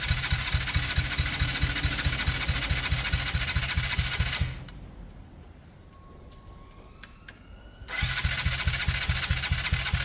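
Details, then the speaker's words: Kawasaki KSR GRS 125 start attempt with airbox fitted; carb recently tampered with by several people: steady starter churning about two turns a second, pause, more cranking, never fires; cranks but won't start, owner suspects carb, unconfirmed. "I won't be surprised if this doesn't fire up because Ryan says that three or four different people have messed with the cob recently"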